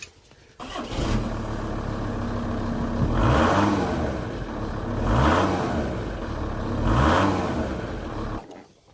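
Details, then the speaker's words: VW T4 just after exhaust replacement, all hangers fitted: catches quickly, settles to even idle, then three clean revs rise and fall with no rattle or blowing; new exhaust sound. "So let's start it up and see what it's like."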